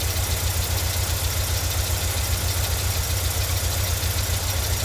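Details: 1989 VW Vanagon 2.1 WBX after new fuel hoses and a new fuel pressure regulator: a low, lumpy idle wavering at two to three beats a second. Owner suspects poorly seated injectors.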